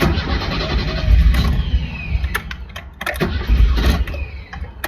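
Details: 1983 BMW 320iS (E21), 40 years old, on a cross-country drive after a few hundred miles, first-morning start: starter churns repeatedly at three to four turns a second but the engine never fires; owner suspects the fuel pump losing prime.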